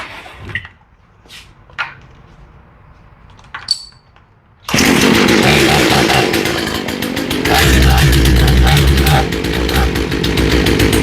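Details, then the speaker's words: Small chainsaw with a freshly rebuilt carburetor and new fuel line routing, just started before tuning: it fires and runs but stays flat and labored, never reaching a clean scream; the high-speed mixture is lean. "Not taking any throttle at all. This is a fresh rebuild on the carb."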